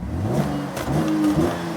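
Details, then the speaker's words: Cadillac SRX4 with low power and check engine light on, engine revved at idle: revs rise unevenly with a brief stumble as throttle opens, pitch dipping before climbing; hesitation, suspected clogged catalytic converters, engine not breathing correctly, unconfirmed. "it sounds like it has clogged catalytic converters. There's that little droo d when you first uh step on the accelerator pedal. It's like the engine is not breathing correctly."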